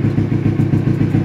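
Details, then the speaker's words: Carbureted Kawasaki Ninja 250R twin being checked before purchase: steady, even idle with a round, regular exhaust pulse and no misses or clatter; engine sounds healthy, normal idle. "banget enak dan suara mesin juga masih enak banget"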